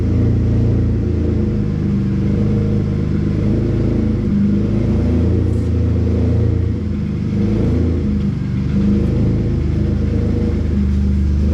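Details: Cavalier V6 just revived after 3 years sitting, jump-started with a dead battery and the alternator charging high at about 16 V: a deep, even rumble that climbs smoothly with each throttle blip and settles back cleanly, sounding healthy.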